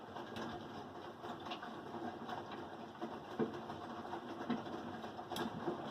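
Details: Samsung WF337AAW/XAA front-load washer in its wash cycle, with the spider arm recently replaced: irregular dull knocks about once a second over the drum's churn.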